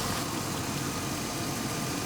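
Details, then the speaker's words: Old Jeep idling after the alternator harness was spliced back in and it began charging off the PCM: a smooth, even low idle with no surging. It had earlier idled down suddenly for an unknown reason. "I'm not sure what caused it to all of a sudden idle down and do what it did I'm pretty sure that's what that's what made the change in the PCM working"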